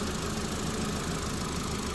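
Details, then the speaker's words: Ford Fiesta Zetec petrol engine idling after service and timing belt change, warming up to temperature while bleeding the cooling system; heater giving warm air. Steady, even idle rumble, no misses or ticking: normal idle. "As you can hear, all back together. It runs. I'm just getting it up to temperature now, making sure it's bleeding."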